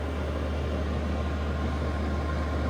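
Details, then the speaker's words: Chinese diesel heater after repairing an E-10 error code: steady, deep, even hum with no surging, popping or stumbling, outlet very hot; burning smoothly, normal running. "But again, you can hear it sounding. So we have success with the error code 10, E10."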